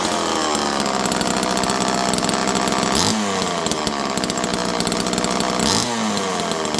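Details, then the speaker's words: Homelite Super Mini chainsaw, restarted after a splash more fuel, kill switch working. Loud, steady, high-revving two-stroke buzz with even speed and clean throttle blips. The chainsaw is running perfectly. "I'm going to fire this up one more time. This thing runs perfect. Yeah, we should definitely port this thing."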